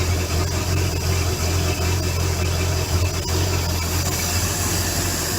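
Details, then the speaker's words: Bayliner boat V8 idling during winterizing, fogging before shutdown: deep steady low rumble with even beat, no knocks or misses; normal healthy idle. "Motor runs so good."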